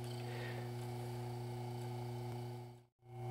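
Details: Antique Emerson 1/30 HP electric motor after bearings were cleaned and oiled and it was reassembled: quiet, steady low hum at an even pitch with no grinding or rattle; running smoothly.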